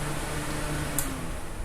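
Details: Arno Turbo fan that had a cricket-like chirp while spinning: after the repair it runs with a steady low hum, no chirping or squeaking, and just one small click partway through.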